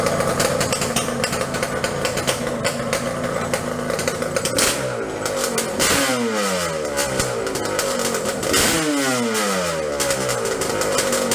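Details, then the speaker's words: Yamaha Banshee two-stroke twin on cheap 38mm Keihin PWK copy carburetors with main jet drilled to 0.125 in; crisp idle with quick throttle blips rising and settling cleanly; proper normal idle. "And then here's what getting on the right track sounds like, but we're not quite there yet. [Music] [Music] and then here's what a proper idol sounds like to my knowledge."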